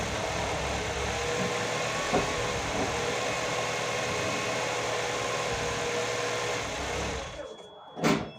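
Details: Nissan GA16DE petrol four-cylinder first start after repair: steady even idle, unbroken hum, no knocks or misses before shutoff; normal idle.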